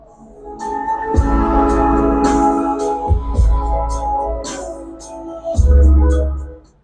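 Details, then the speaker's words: CA18 long-body power amplifier after repair of channel 1, which had DC on its output and a blown fuse replaced with a new 20 A fuse: clean, steady organ-like test tones with no crackle, hum or dropouts; channel 1 now working normally. "इसका channel एक अब सफलतापूर्वक काम करें कर रहा है।"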